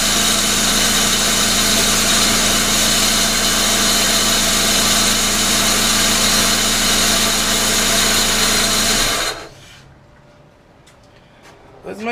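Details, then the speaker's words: 1999 Pontiac Grand Am, rebuilt GM LD9 2.4 Quad 4, first start-up after rebuild: steady harsh grinding rasp over the engine for nine seconds, stopping at shutdown; bad AC compressor clutch on the serpentine belt. "all right let's let's see if she'll fire up here so so so this other ac compressor clutch making some noise so so"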